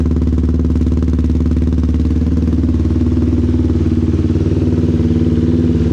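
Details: 2021 Yamaha Raptor 700R SE after a stage 3 cam install and valve adjustment, with FCI intake, dual exhaust, Power Commander 5 tune and AIS delete, freshly flashed: a steady, even thumping single-cylinder idle with no knocks or rattles; running healthy.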